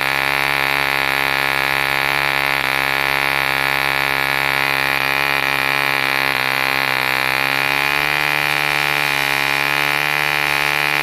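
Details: 1948 E.D. Mark II Competition Special, a long-stroke model diesel engine made in England, first start after a rebuild from two incomplete examples: a fast, even, high-pitched buzz at steady speed with no misses or knocks, running cleanly.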